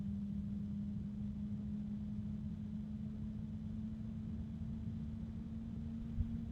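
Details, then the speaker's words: Enermax LiqMax III ELC-LMT360-W-ARGB 360mm AIO fan at maximum speed, not yet on the radiator: quiet, steady low hum with a deep, rough rumble after a brief felt vibration; fan vibration rumble, not terribly loud. "Okay, now there's a bit of rumbliness from the fan as far as the vibrations. So it's not terribly loud. You'll hear it when it's at maximum speed in the case, but it's not bad."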